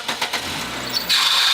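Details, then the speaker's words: Nissan on cold start: sharp, steady high squeal from a very loose serpentine belt slipping; it goes away once warm and persisted after a previous shop replaced the alternator and belt. "well you can certainly hear it now it'll go away as soon as it warms up but these guys they worked on it before replace the alternator replace the bell okay it's still making the noise but check this out the fan belt's loose as can be"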